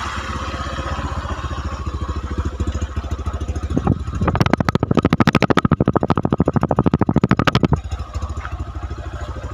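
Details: Honda Megapro New 150cc after top-end rebuild with cylinder boring, previously rough, smoky, weak and fouling plugs: even thumping idle picks up cleanly to a quick, steady rev and settles back with no rattle or knock; smooth, healthy engine.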